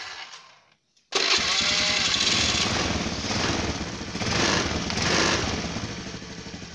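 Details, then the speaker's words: Honda Beat scooter after jumpering the starter relay to bypass the CDI: engine catches after a short pause and runs evenly with light revving, confirming the CDI relay system was the fault. "Hidup. Oke bro, ternyata bisa hidup. Itu tandanya kalau yang rusak adalah sistem relay pada CDI-nya."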